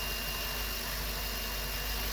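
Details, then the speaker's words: GM 8.1 Vortec V8 in an RV, restarted after engine wash with fan and belt removed: steady even soft rumble, no knocks or misses; runs smooth, normal idle. "so let this dry off a little bit and make sure it starts again and we'll proceed what do you know it still runs nice and smooth"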